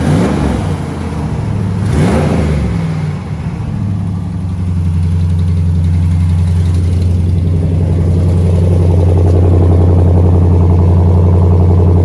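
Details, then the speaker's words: 2014 Ram 1500 V8 first start after frame rebuild: revs rise and fall cleanly, then settles to a steady, even hum with no ticking or knocking; normal revving. "sounds sounds pretty pretty good yep so this"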